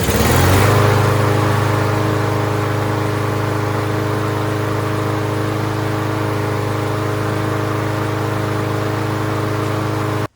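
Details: Craftsman M230 push mower after fixing a carburetion no-start: steady, even single-cylinder drone, constant pitch, no misses or surging; runs smoothly until shut off.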